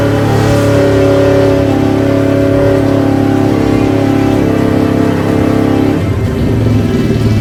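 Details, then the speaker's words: 1971 Honda CL350 twin, unrun for 20–30+ years, kickstarted after its ignition timing was set: a steady, crisp beat at a constant pitch with no misfire or rattle, then it eases off; running cleanly. "But did you hear how crisp that thing sounds? I mean, who knows how long this has been asleep? I'd say probably 20, 30 years. And she fired right up with the kickstart."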